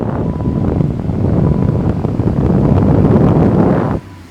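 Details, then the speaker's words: Car converted from R12 to R134a with a repaired vacuum line off the brake booster, microphone in the dash vent, engine revved to 3,000 rpm: a steady rush of air keeps coming from the vent without switching to defrost; vacuum mode control holding. "So, you can hear the air blowing. Give it some gas. And still And it's still blowing out of the vent. It hasn't switched to the defrosters or the for vent."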